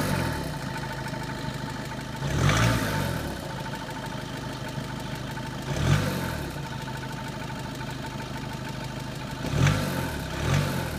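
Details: 2013 Seat Leon 2.0 TDI diesel idling cold with a steady hum and faint whine, broken every few seconds by brief rattling bursts that go away once the engine is fully warmed up; cause unknown.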